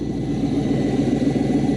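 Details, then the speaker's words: 2000 Chevrolet C5 Corvette, 6-speed manual, warming up: steady idle with a faint constant whine from the front; pulley, tensioner or possibly alternator suspected, balancer not wobbling; front accessory drive noise. "so warming up here I'm hearing a noise in the front I never heard that when I inspected the car but it sounds like a pulley or tensioner or something the balancer is not wobbling which is good"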